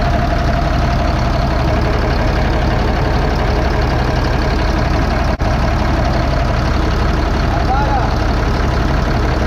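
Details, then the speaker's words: 2005 Fleetwood Discovery, Freightliner chassis, CAT C7 diesel, after replacing bad injectors on cylinders 5 and 6: steady even idle, smooth low rumble, no misfire; power balance shows all six cylinders working. "all right so there she goes working on all six cylinders"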